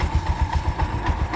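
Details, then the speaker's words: Bajaj auto-rickshaw BS4 engine, rebuilt about 3.5–4 months ago with a new bore; a regular low knock about seven times a second at idle, evenly paced over the engine beat, worse when revved; owner suspects connecting rod, cause unknown. "ಇವಾಗ first ಸುಮ್ನೆ ಹಿಂಗೆ ಅಂದ್ರೆ sound ಬರೋದು rice ಮಾಡಿದ್ರೆ sound"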